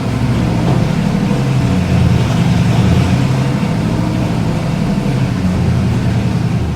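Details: 1976 Mercedes W115 240D swapped with 1989 M117 V8 and 722.350 transmission: loud deep burble loping unevenly, swelling with revs, rich and lumpy; owner says it runs very rich and suspects poor timing.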